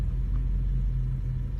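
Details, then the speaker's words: 2009 Acura TSX with flashing check-engine light and rough running, heard while driving: steady low rumble with occasional stumbles; random misfires mainly on cylinder 2 (P0302), diagnosed by plug check and coil swap. "feels a little stumbly and check the data it's got two misfires total missile account it's only two chapter one it's mainly from cylinder two okay let's bring this inside and check it out yeah just driving it you can see some random misfires here every now and then"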